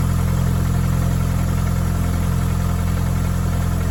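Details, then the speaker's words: 1996-2001 Hyundai 1.8/2.0 after a throttle body mod and reassembly, first start: steady, even idle with a smooth low hum and no lifter tick or knocking; normal idle. "sounds good yes it does I would just let this uh bleed like I said if yours happens to tick or anything"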